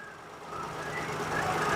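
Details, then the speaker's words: Perodua Myvi 1.0 that stalled with aircon on, after repair: steady petrol idle rising slightly and holding firm as aircon compressor cycles on and off, no stumble or stall; normal idle with AC cycling. "On. Engine masih hidup. Off. On. Off. On. Off."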